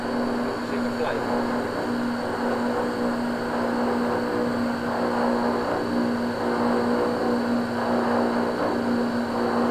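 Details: Vaillant 837 home boiler forced to high fire; steady humming drone with a wavering low tone and faint rattly buzz as a blocked coil in the main heat exchanger overheats and vibrates against the other coils; kettling.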